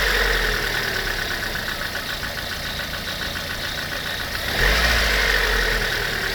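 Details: Lada 21126 engine at idle: a steady light abnormal knock, several taps a second, riding on the engine note and rising with small throttle blips.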